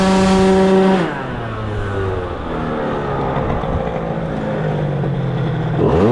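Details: Tuned two-stroke scooter with a racing cylinder, new exhaust, and inner-rotor ignition: a high buzz held at a flat ceiling, dropping off and flaring back up. The revs stall at the rev limiter, found set to 0, thought to be the lowest level (F means no limit).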